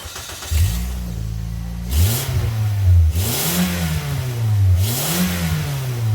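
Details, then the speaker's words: 2008 Toyota Yaris idling and blipped three times: each rev brings a loud raspy, tinny blat from a leaking front exhaust gasket between manifold and downpipe, worn by pipe flex. It gets louder as the car gets hotter. "There's a gasket that's sandwiched between the exhaust manifold and where the exhaust pipe comes up to meet it. There's a gasket in between. Those tend to wear out because the exhaust pipe flexes around."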